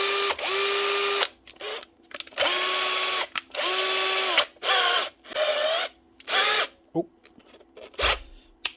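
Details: Bosch GSB 18-2-Li 18 V DIY cordless drill after motor replacement; short whirring bursts climbing quickly to a steady clean pitch then spinning down, healthy motor; sparking seen is from the brake stopping the motor.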